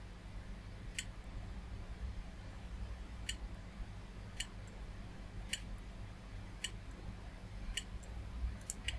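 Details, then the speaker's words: Retro PC hard drive, jumpered to master: faint sharp clicks every one to two seconds over a low hum, the machine won't boot, and the drive later squeals. Failing hard drive clicking. "Right, the hard drive's clicking."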